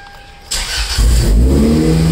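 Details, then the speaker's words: Toyota MR2 Spyder, first start after DIY 5 PSI turbo kit install with oil system primed; engine catches after a brief crank and settles into a steady, deep, even idle with no knocks, AFRs around 12:1; healthy start. "whoa that sounds good"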